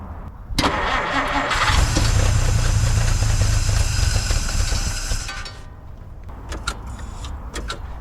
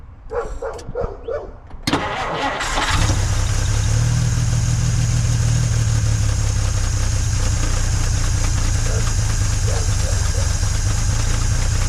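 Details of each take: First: 1950 Dodge Meadowbrook on a 6-volt battery, carburetor primed with gas after fuel-system troubleshooting: short crank, then steady even idle without stumbling, oil pressure and generator gauge fine, about 115–118° at back of block; normal start and idle. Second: 1950 Dodge Meadowbrook after swapping to a 6-volt battery: starter turns over lazily for about two seconds before the flathead catches and settles to a steady low idle; slower cranking than before, ammeter happier, strong fuel smell.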